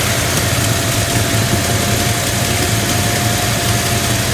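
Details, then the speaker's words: 1970 Dodge Challenger convertible at idle during a pre-purchase inspection: a faint, quick tick rides on the steady idle. The inspector suspects a lifter or an exhaust leak. Cause not confirmed. "I don't know if that's like a lifter noise that I'm hearing you the slight little noise or or it could be like a an exhaust leak as well"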